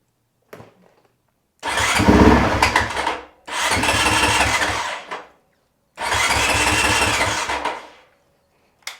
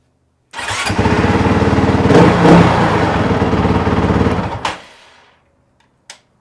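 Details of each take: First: Honda CRF450RL cranking: three bursts of about two seconds of steady starter chug that never catch; the relay clicks but the fuel pump does not prime; crank no start from a suspected failing fuel pump. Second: Honda CRF450RL restarted hot after a 12-mile ride, following fuel pump replacement: the pump primes, the engine catches at once and idles with a steady, even thump for four seconds. The restart is healthy and the fix is confirmed.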